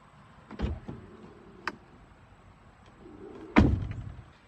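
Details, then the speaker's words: Brand-new Tesla Model X: closing either front door with the window down makes the glass rattle inside the door, a motor whir then heavy door thump with brief loose buzzing; service says normal due to frameless windows. "when I closed either of the front two doors with the windows down the window rattles inside the door I don't know if you can hear that when we try it again"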